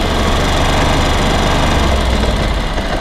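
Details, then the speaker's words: Ducati Monster 900 twin at idle after a carburetor rebuild by Doc Carbu, after a small synchronization touch-up: carbs now perfectly balanced, giving a deep, steady, even idle with no hunting or stumbling. "I've just done a little touch-up and now we're perfect"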